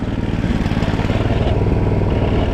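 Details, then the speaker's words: Predator 212cc go-kart with no brakes, ridden in snow: small single-cylinder engine pulsing quickly and steadily with a loose buzzy rattle riding on it, rider asks if something is broken; rattling noise, source unclear. "making so many rickety sounds, man."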